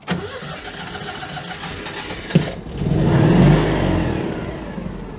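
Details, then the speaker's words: Citroën 2CV air-cooled twin, hastily built engine about three years old, at idle in neutral after a run at speed: clattery start and a lumpy, uneven idle; oil pressure light had come on at speed, bearings suspected going; worn, unhealthy engine. "we've been running at speed the engine is clearly not in great shape"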